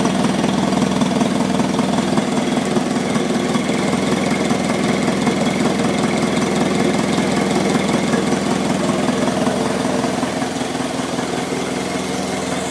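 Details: 1955 McCormick Super FC-C Utility tractor about 30 seconds after its first start following a rebuild of the fully seized engine: steady, even idle thump; a faint squeak on the right side is the oil pump and filter purging air; normal idle.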